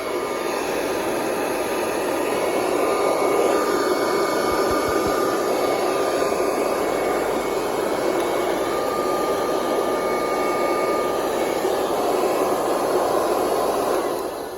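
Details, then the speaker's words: Neglected curbside Kirby Heritage vacuum, corroded, with no brush roll: a smooth, steady high whir holding constant pitch with no rattles or surging; the motor runs perfectly and sounds healthy. "There's absolutely nothing wrong with that motor. That sounds so healthy."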